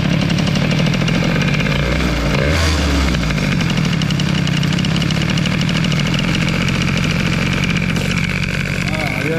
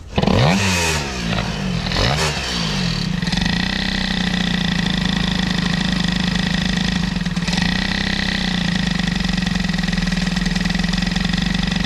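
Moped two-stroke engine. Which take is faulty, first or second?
second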